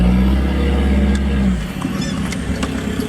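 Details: Bus with an automatic gearbox fault, in drive: the engine flares freely and revs sag without pulling away, while it pulls fine in reverse; the box is slipping, owner suspects a fluid level problem, unconfirmed.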